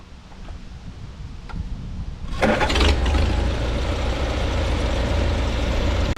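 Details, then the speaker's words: 1952 Farmall Super C tractor after fixing an engine miss by bending the rotor's contact prong, or possibly freeing a stuck mechanical advance: catches after a few cranks, steady even idle with no misses; normal idle. "I'm happy that it's finally fixed and running well so I'm going to start it up and let you guys hear it"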